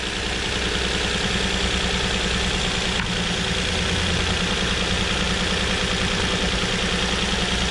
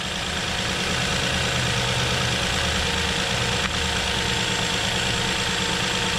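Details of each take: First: 2007 Nissan Murano 3.5L V6 with cylinder 3 misfire: uneven, lumpy idle with irregular pulses during a coil swap test; firing smoothly again once a new ignition coil is fitted. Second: 2007 Nissan Murano 3.5L V6 after replacing the cylinder 3 ignition coil, which was behind the intake manifold: smooth, even idle with a steady low rumble and no stumbles; the cylinder 3 misfire is cured.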